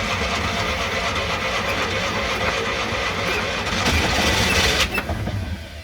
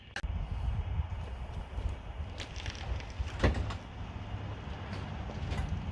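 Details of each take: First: Classic Fiat 500 after fixing electrical and starter issues, running on quick-start spray with choke on and no fuel in it: engine spins with uneven chugging, briefly tries to catch and dies; needs proper fuel. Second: Classic Fiat 500 air-cooled engine, first run after fixing electrical issues, fed from a jerry can: low steady even idle with light clicks; runs fine, oil pressure and charging lights out.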